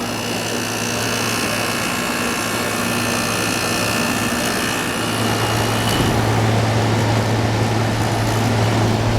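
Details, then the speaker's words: New old stock 1988 Sears Kenmore 6000 BTU window air conditioner, running on low power saver after shipping upside down: steady compressor hum with even fan whoosh, no knocks; running normally, cooling, pressure settling. "but it's already cooling already cooling pressure's settling down now"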